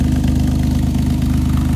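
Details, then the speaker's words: 1983 Chevrolet Monte Carlo G-body V8, off the road about 10 years, at idle: deep throbbing burble, loud and raspy through a glass pack muffler, so it sounds like a blown exhaust; slight antifreeze leak noted. "With the glass pack, I mean, it just sounds like it's got blown exhaust. That's about it."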